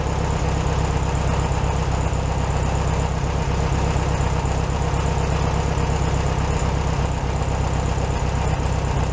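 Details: 1967 VW Beetle 1500cc, warmed up after carburetor refitted on a new base gasket: a steady, even low thump at a fast idle with no stumble or hunting. Carb running clean; normal idle, slightly high.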